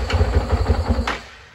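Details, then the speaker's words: Honda CRF450RL with a no-start, running on carb cleaner sprayed into the intake with the throttle cracked open: about a second of rapid, uneven firing pops that then die away. The engine itself is fine, but it is not getting fuel. "and there you go so we know there's nothing wrong with the bike as far as like the engine runs we're just not getting fuel"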